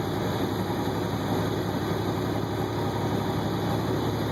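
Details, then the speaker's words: Healthy turbo on a 2009 International ProStar truck pulling a loaded trailer: a steady high turbo whistle rides over an even, deep diesel drone under load; normal turbo whine. "I'll let you hear the turbo here."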